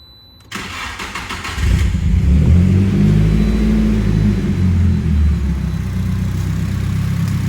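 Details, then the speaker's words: Nissan S15 Silvia, old engine with freshly refreshed top end (valve job, skimmed head, deshrouded chambers, new seals, Tomei 1.8mm head gasket), aftermarket outlet pipe, downpipe, Tanabe exhaust; cranks, catches, flares, settles to smooth in-sync idle without tapping or misfire. "super tame at idle. Everything sounds very in sync since we refreshed the top end, and that's important, especially on such an old engine."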